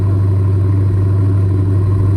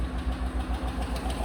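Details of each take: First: Dodge V8, restarted: starts far better, deep even burble with a good stable cold idle, no stumble or misfire. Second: Fleet truck V8 with 111K miles at idle: light, quick, regular tick keeping pace with the engine from one unhappy lifter; no misfire registering yet, a collapsed lifter suspected.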